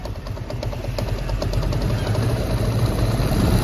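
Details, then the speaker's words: TVS Apache RTR 160 BS4 motorcycle idling: loose uneven rattling clatter over a low thumping beat, quieter when revved and louder when throttle released; bike also gives white smoke; engine rattle at idle. "जैसे मैं race बढ़ाता हूं तो आवाज कम हो जाती है और रेस छोड़ते ही आवाज बढ़ जाती है"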